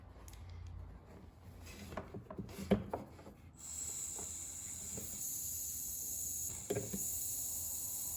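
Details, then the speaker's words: 1968-72 Corvette C3 windshield wiper door vacuum relay valve being blown into by mouth. A few clicks, then a steady high airy hiss as air escapes, showing a vacuum leak inside the relay valve, which needs replacing. "Okay, so it's leaking here somewhere. I can hear it. Let's blow again. So it's kind of working, but it's actually not working because it has a vacuum leak."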